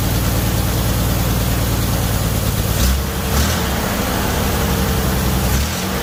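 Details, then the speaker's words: 1978 Chevy Nova started after engine-bay pressure wash; low, uneven idle sagging and stumbling around three seconds in; owner believes idle was turned down due to brake booster diaphragm issue, suspected vacuum leak. "so i just wanted to show you real quick that it does run the idle is not correct i believe that it's been tuned way down on the idol apparently because the issue with the brake booster"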